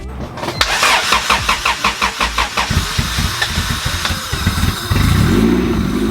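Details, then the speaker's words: 1998 Honda Civic EK with a B-series swap and a history of bouncing, surging idle, cold start after installing a new idle air control valve: quick cranking about four beats a second catches in about three seconds and settles into a smooth, quiet idle. "By far the quietest and weirdest start I've had to date. We gotta let her get up to temp, but right now I think Facebook was right."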